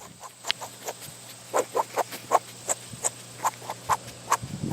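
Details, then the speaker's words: New Holland 273 square baler plunger roller turned slowly by hand: uneven dry squeaks and ticks instead of a smooth roll; the bearing is not loose but sounds dry, unlike the greased ones, and is somewhat worn. "s kind of dryish sounding. It's not loose, but it's dry sounding. But this one, all these other ones sound like there's grease in them, except that one down there, which I'll get to later."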